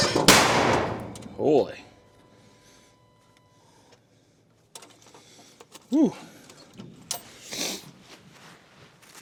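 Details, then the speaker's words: Gas skid steer starting in winter cold while warming up: sharp gunshot-like bangs during cranking and starting attempts; backfire, cause unclear, owner notes it dislikes the cold. "that sounds like a gun going off I don't know why it's doing that"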